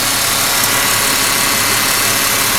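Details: 2001 Ford Mustang 3.8 V6 with new EGR valve, plug wires and plugs, at idle: steady, even idle with a smooth hiss-like hum, no stumble; it sputters and shakes only on sudden hard throttle, cause undiagnosed.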